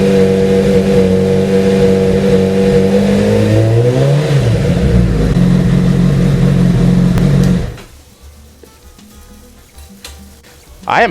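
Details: Honda CBR motorcycle after cam chain tensioner replacement: even, steady running with a clean rise and fall as the throttle is blipped, then shutdown. The earlier right-side buzzing at 3000 rpm is gone; sounds healthy.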